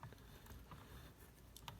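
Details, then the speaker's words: Drake TR4C receiver PTO with nylon tuning gears, reassembled after removing oil that made the nylon swell and bind; hand-turned gear train runs quietly with faint ticks over room hum, no grinding or squeaking as before. "And notice here, there's no grinding sound at all. It's quiet."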